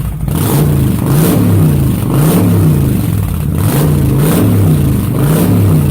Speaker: Once again, these are the Cobra slip-ons on the VTX 1300R 2005. Haven't done the carb work yet, or the breather kit.